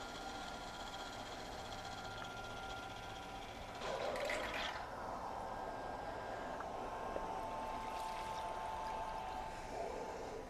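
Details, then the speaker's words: RYOBI RY20UP02 18V One+ telescoping pole pump, timed second run emptying a 5-gallon bucket: faint steady motor hum under a constant gush of water, pumping quickly; normal running. "No, you'll see the counter on the screen, but it's pretty quick. It's definitely pumping it quick."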